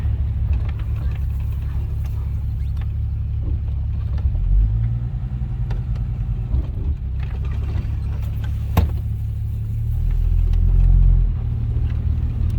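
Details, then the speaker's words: 1967 AMC Rambler American 199 ci six after fixing a cracked phenolic carb spacer vacuum leak, warm after a road test; low, even idle with no hiss or stumble; normal idle. "is the maiden voyage after i fixed the carburetor issue i say that's about a hundred and fifty percent better than it's ever been"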